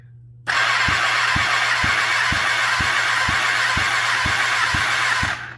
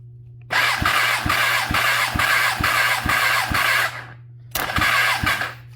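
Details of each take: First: Kawasaki ZX10R basket-case build, compression test cylinder 2 while cranking: steady starter cranking, about three even thumps a second with hiss; only about 100 PSI versus 195 on cylinder 1, possibly from long sitting, not confirmed. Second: Kawasaki ZX10R, cylinder 3 cranking compression test: steady starter whir with even pulses, briefly cut then resumed. About 170 PSI, below cylinder 1 but much better than cylinder 2; fairly good compression.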